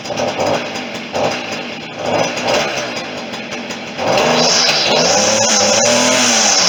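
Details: Stihl FS40C string trimmer two-stroke after tune-up, started after priming; a few pull-start bursts, then a steady high buzzing whine that holds even with no stumbling or misfire: normal running.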